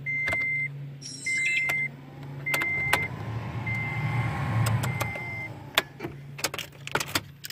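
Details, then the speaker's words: 2011 Toyota Tacoma, key on after fitting new blower motor to replace one with a dry squeaking bearing; chime beeps and clicks, then steady airy fan rush with no squeal, rattle or scrape: normal blower operation. "Now the final step, put the key in, turn it on, make sure that it works."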